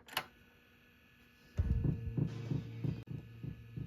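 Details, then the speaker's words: NA Mazda Miata OEM Panasonic 1297 stereo cassette deck, after repair, bench powered: soft even clunks about three a second as mechanism draws tape in; loads and plays normally, though one speaker channel lost. "Put our tape in, draws it in."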